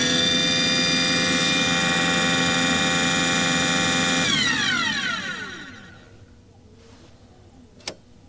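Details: Aquahot 400D RV diesel boiler: a steady burner motor and fan hum with no flame whoosh or rumble, then the motor winds down. Owner suspects air in the system is keeping fuel from the nozzle and the CAD cell is cutting it off. Not lighting.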